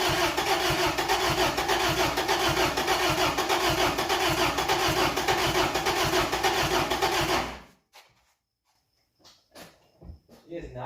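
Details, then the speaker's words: 1992 Isuzu pickup, after years of sitting, choked: uneven, lumpy running with irregular pulses about 100 a minute, then dies abruptly; many unconnected lines suspected of causing vacuum leaks, cause unconfirmed. "you've also got lines everywhere that aren't hooked up that can make another vacuum leak are you kidding dude there's a lot of vacuum leaks that's why i don't like this thing"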